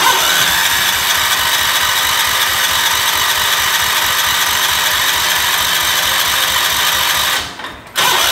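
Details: Gravely 812 first start-up after engine rebuild, voltage regulator suspected of overcharging and melting wiring: steady, quick chugging beat at held throttle with no knocks or rattles; runs evenly.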